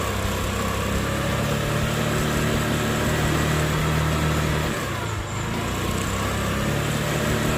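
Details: Easyride 150N GY6 scooter with D-type carb, auto enricher removed three days earlier to fix hard starting and fuel thirst: steady, even single-cylinder putter at warm idle around 1,100–1,200 rpm without stumbling. No smoke or fuel smell now. Normal warm idle.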